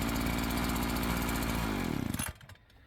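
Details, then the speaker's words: Two-stroke strimmer held at full throttle while the high-speed mixture screw is turned: buzzy note sags and recovers, revs rising or falling with screw adjustment, then cuts off. "So, as you could hear there, you could hear the difference. I was throttling that the whole time, but I just as I was turning it, it would either throttle higher or lower."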